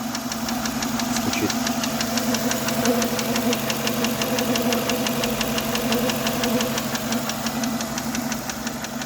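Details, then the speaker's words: Renault Megane 2 K4M petrol engine, warm idle: fast, even, light ticking from the top of the engine near coil 4, which starts once the engine warms up and speeds up with throttle; owner suspects a hydraulic lifter, though new INA lifters, timing kit and VVT unit did not cure it. "Стучит гидрит. И причем, вот если мы ставим палец, прям чувствуется биение."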